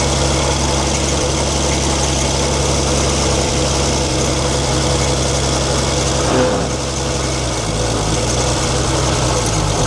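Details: 1942 Chevrolet Blitz CMP 4WD truck, 216 petrol straight-six: steady idle with dry whirring rumble from engine front; owner points out water pump noise, engine later boils, pump seemingly not pumping.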